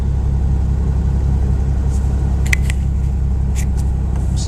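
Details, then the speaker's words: 1988 Chevrolet S10 Blazer, original muffler removed for replacement: deep, steady, throbbing idle with open rumble, no hiss or rattle, not as loud as expected; exhaust running without muffler. "it's actually not that loud that looks like it to be much louder"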